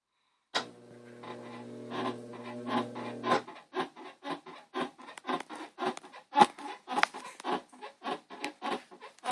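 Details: Whirlpool Cabrio 5500 top-load washer: a rhythmic bedspring-like squeak, about 2.5 per second, during auto-sensing at the start of the wash and sometimes during spin/rinse; it cannot be reproduced by hand.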